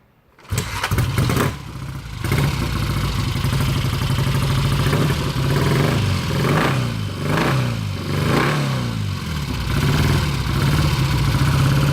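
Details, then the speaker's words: 1966 Triumph Bonneville T120 650 twin, cold engine, petcock on and both ticklers pressed, kick started: catches within a second and settles to an even idle with a few blips; normal cold start and idle. "what I'm going to do is demonstrate a cold start. You can see over here, this is a cold engine."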